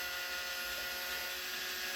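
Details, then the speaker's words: Lemax Giant Swing Ride toy, with the drive motor exposed: constant high-pitched whirring buzz with a gritty edge; motor spins fast but is far too loud and needs replacing. "It's spinning fast, it's good. It's just loud. So loud."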